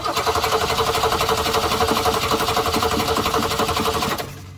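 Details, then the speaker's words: 1966 Ford Mustang, 200 straight six, stalled on the driveway; spark and fuel to carburetor confirmed: steady cranking about four turns a second for four seconds without catching; owner suspects the old Holley carburetor isn't working. "Well, now what? We know we got gas coming here through the filter into the carburetor. We know we got spark. I'm inclined to think that this carburetor, this old Holly, is not working correctly."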